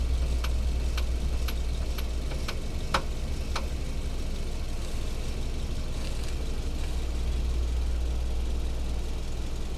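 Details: Hyundai Solaris at idle: sharp knocks about twice a second for a few seconds over a low, steady hum, then they stop. A steering rack knock, with the rack bushing suspected as the likely cause, not confirmed.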